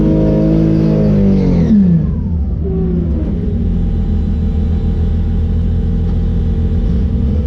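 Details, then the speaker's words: Drag car after a burnout at the track: revs drop to a rough, lumpy idle with an uneven stumbling beat; driver felt a misfire after the burnout and backed off the line; persistent misfire, cause unconfirmed. "after I came out of the burnout I started to feel like a misfire so I backed off the line"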